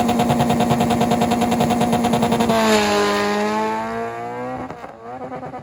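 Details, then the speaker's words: Green Honda Integra at drag strip night: engine screams high with rapid stuttering cut about three pulses a second, drops and climbs again; missed shift bouncing off rev limiter, broken shifter cable prevents second and fourth gear. "so basically all night long he was doing that he couldn't get any down gears which is second and fourth gear uh it up shifts fine um if you hear the video you can hear him you know touch the rev limiter and goes into third gear"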